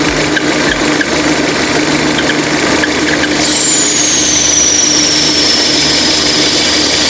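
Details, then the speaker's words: Peugeot/Citroën 2.0 EW10 engine idling with a thin high whistle sliding slowly downward in pitch; perforated PCV diaphragm in the valve cover; fixed by fitting a new original valve cover. "Ah entendeu então quê que é isso aí diafragma furada da tampa de válvula tá nesse caso aqui vão aplicar lá tampa de válvula nova E aí corrigir esse barulho"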